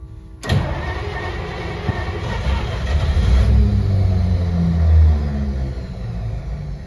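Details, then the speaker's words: 1953 Pontiac Chieftain, cold start in freezing temperatures after sitting about a month: the starter cranks, the engine catches with a rough, uneven roar, then sags and fades, refusing to stay running. The cold is suspected to be a factor. "she doesn't want to stay running damn she's right there and just won't go"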